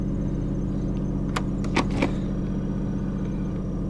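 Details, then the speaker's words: Chevy Trailblazer/GMC Envoy at idle, in neutral, after the front 4WD actuator fix: a few short soft clicks as it shifts between 2WD and 4WD. The blinking 4x4 light and wrench symbol are gone, so the actuator works normally. "I hear it out there making noise. Hey, look at that. No more blinky blink."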